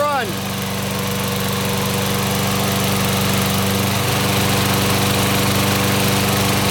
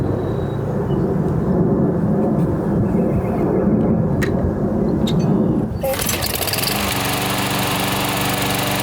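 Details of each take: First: Older Toro SR4 Super Recycler mower, oil above the dipstick mark: small engine runs at a steady fast chug with no knocks while still smoking, improving as it runs; oil burning off. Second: Older Toro SR4 Super Recycler 21-inch mower after full service and fresh oil: small single-cylinder engine runs steady and even, settling into a smooth constant hum; running really good, no smoke.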